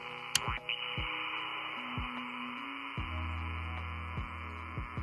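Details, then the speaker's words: Icom 705 powered via Powerpoles from Xiegu DH100 power station, 12 V output on: receiver hiss buried under heavy buzzing tones and stepping hum with sharp pops; heavy interference from the power station. "yeah that's uh some real heavy interference"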